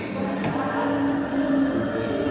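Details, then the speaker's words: Life Fitness treadmill running, customer complains of noise while in use: steady mechanical rumble with a faint wavering hum from worn drive-motor bearings, which are to be replaced on site. "sé si logran escuchar, pero sí tiene un sonido por causa de rodamiento. Ya se lo vamos a cambiar."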